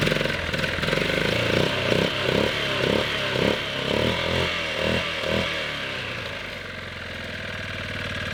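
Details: 1998 Yamaha Grizzly 600 ATV after wet clutch replacement and one-way bearing refit: single cylinder thumps evenly as revs rise and settle, a little hard at idle, as if the choke is on, but smooth; normal running.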